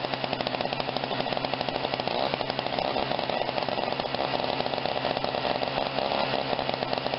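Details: Snapper 17-inch snow thrower with Tecumseh small engine, after repair, primed and started: runs steady and fast with an even, busy exhaust buzz and no misses or knocks; running normally.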